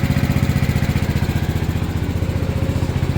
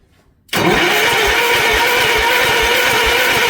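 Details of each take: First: Gravely 816 garden tractor with swapped Kohler KT19 engine, running smoothly with a quick, even putter after the bad battery was sorted; it was missing and running poorly on low battery voltage before. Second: Gravely 816 garden tractor with a swapped Kohler KT19 engine: the starter cranks steadily at about three and a half turns per second for seven seconds and it never fires; the fuel pump delivers no fuel, so it will not start.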